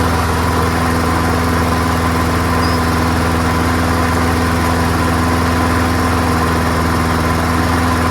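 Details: Free, old, rusty, worn-out Honda self-propelled lawnmower, started first pull on a small test fill of gas, with oil clean and full. Steady, even drone at constant speed with no surging, sputter or knocking. Engine runs clean; carburetor judged not to need cleaning.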